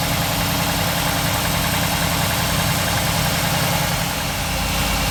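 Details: 1947 Ford street rod V8 idling after the intake manifold and distributor were reinstalled and a leaking water pump gasket was replaced; steady, even burble with a smooth low rumble and no ticks or knocks. It sounds healthy.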